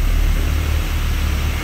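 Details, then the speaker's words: Brand-new Rotec R2800 radial for a Kitfox on test run, oil and fuel pressure good, run a couple of hours: steady deep even roar, no misses or knocks; ran fantastic, made good power, idled smoothly, no oil leaks. "engine ran fantastic made good power idle smoothly it's been running for a couple of hours now so uh that's generally good enough"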